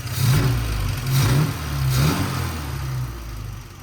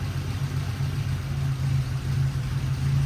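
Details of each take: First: Triumph TR4A customer car that ran rough and lost power in 3rd and 4th, after the choke cam screw was adjusted and idle screws reset: smooth, even idle at about 900 RPM after a couple of gentle swells; running healthy. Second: Triumph TR4A that runs rough and loses power in 3rd and 4th, idling: low hum surging and dipping unevenly, lumpy stumbling misfire; ignition analyzer suggests a short or near-short in the secondary ignition system, unconfirmed.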